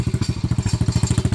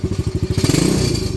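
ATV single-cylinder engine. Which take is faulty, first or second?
first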